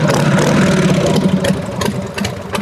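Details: 1990 Harley-Davidson Sportster Evolution just after rewiring switches and headlight; idles loose and lumpy with an odd irregular clatter over the beat, then shut off; abnormal engine noise, source not pinned.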